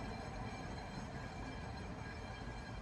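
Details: 2011 Ford Taurus Limited, car jacked up, wheel spun by hand with play felt: steady gritty rumble from the hub as the wheel spins freely, pointing to a worn wheel bearing with excess play.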